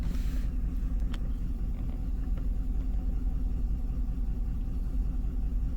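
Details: 2005 Cadillac Escalade 6.0 LQ9 V8, parked 5 years, P0300 random misfire on cylinders 2, 4, 6, 7, not fixed by plugs, wires or coils: deep uneven stumbling rumble; misfire traced to unmatched faulty injectors.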